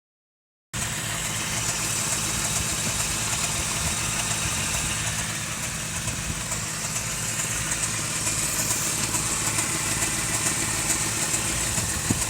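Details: 1988 Toyota 4Runner with 22RE engine at idle: busy, slightly uneven clatter riding over the hum; a strange noise, source not clear by ear.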